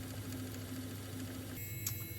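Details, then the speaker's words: Mastertronic analyzer reference test: the A motor starts and fills the rinsing chamber, giving a quiet, even small-motor hum with a faint steady buzz, then a lighter whirring shift; the fill pump is running normally. "Now you will hear that the A motor is starting and filling this rinsing chamber."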